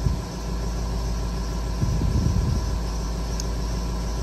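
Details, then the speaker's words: Rebuilt 6.0 Powerstroke F550 that suddenly shut off, after work at the IPR; ICP pressure now higher than the initial 755. A deep, steady idle with no hunting or misfire. It smokes heavily; owner suspects a stuck injector. Not the high-pressure oil pump. "everything looks good looks like it's pretty steady so i'm just gonna let this run for about 10-15 minutes"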